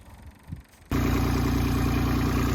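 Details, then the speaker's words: DX27 excavator diesel, full service: fuel bled through at the bleed screw. Engine catches at once and settles into a steady, even idle with a regular low beat and no misfire. "Engine's running. I've just rolled it forward slightly, and I'll fill the final drive oils now."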